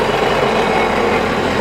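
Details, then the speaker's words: 2019 Sea-Doo jet ski engine, reinstalled after flooding and hull repair, idling on the flush water while still warming up. Steady, even mid-pitched idle with no knocks or misses. Normal idle after a bad ground was fixed. "engine sounds great got to let it get up to temperature so it'll Pur start purging the air out"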